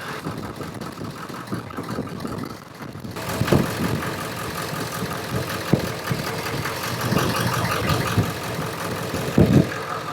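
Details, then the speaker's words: 7.3 Powerstroke with long crank/hard start, new ICP sensor fitted, running at idle with number five injector unplugged: idle turns lumpy with irregular heavy thumps; cylinder five was firing, not the dead cylinder, misfire from disconnected injector. "okay I pulled number five and it stumbled the number five is not our dead cylinder"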